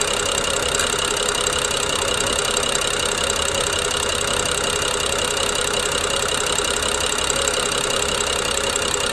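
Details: BMW N55 at idle: a light, uneven clicking of about two ticks a second with a jerky idle. Owner suspects the Valvetronic gear and eccentric shaft. Coils, plugs and VANOS solenoids were replaced with new OEM parts within the last 5,000 km, with no change.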